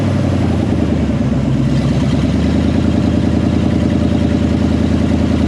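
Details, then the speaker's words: C2500 rebuilt 350 TBI V8, stock apart from a roller cam, first start after rebuild: loud, steady, slightly lumpy idle with an even beat and no knocks or ticks; sounds healthy. "I don't know sounds like it's going to be very loud"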